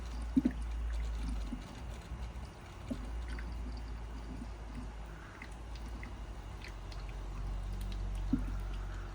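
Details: Smart 453 EQ electric car after repair, coolant pumps running: quiet, irregular gurgling and trickling over a low pump hum as air still bubbles out of the coolant circuit; wait until the noise stops.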